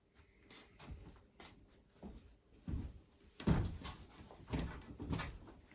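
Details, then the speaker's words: Solis Ginlong 3.6K-2G grid-tie solar inverter on about 209 V DC input, repeatedly initialising and failing with an OV (BUS) error; sharp, irregular relay clicks in a quiet room as it tries to start and drops out. "It was OV volt or OV something like that. There, you can hear relays clicking."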